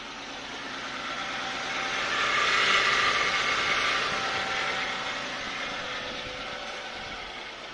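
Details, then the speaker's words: 1992 Lexus LS400, 1UZFE V8, after fuel pump replacement and fixing unearthed injectors, first startup on a very cold night: steady, even high-pitched fast-idle hum, no knocks, misses or hunting; normal idle. "so after about 10 minutes of running the LS 400 seems to be a temperature it seems to like it there I don't know why maybe the thermostat's a bit stuck sounds good lovely Happy Days"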